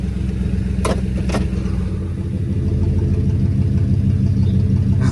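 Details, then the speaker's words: 2003 Police Interceptor V8, warm, after installing a Cal-Van insert kit to fix a misfire; steady low rumble in gear under load without stumbling or missing, a few short clunks, no engine light. "okay I already sound a whole lot better well and I don't see an engine light"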